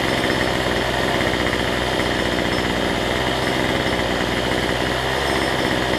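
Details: Cheap weedeater (number 3 of 4) after fitting a replacement Chinese carburetor kit: high, even two-stroke buzz holds steady without surging or dying throughout; trimmer running healthy after carb swap.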